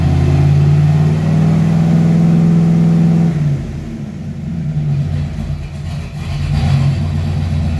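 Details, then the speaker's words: 1995 Ford Mustang, newly swapped C4 3-speed automatic on first startup, cycling first, second, third, no radiator fans hooked up: engine hum holds steady then drops in clean steps as it upshifts smoothly, no slipping flare or clunk; works pretty good. "That works pretty good. Alright guys, so first startup went pretty good."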